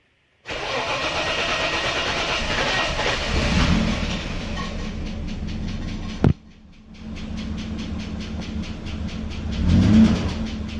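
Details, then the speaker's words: VL Commodore, 385,000 km, sat for a while, fresh 98 premium fuel added and pump primed; cranks and catches, then uneven wavering idle with stumble and dip before revs recover; owner suspects battery or old dirty fuel, unconfirmed. "it was running a little bit rough there on startup and I'm thinking that's probably because of the battery that's in it or the old fuel"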